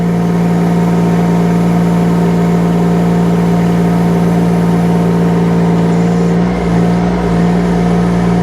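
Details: UHI UME12 mini excavator with 13 hp Yanmar diesel at full revs while working the boom and stick: steady, even high-rev drone dipping only slightly as the arm takes load; healthy engine.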